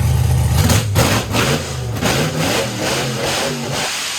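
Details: GM LS V8, after fixing a crank signal issue: strong, clean rev blips rising and falling with no stumble or cut-out; normal revving.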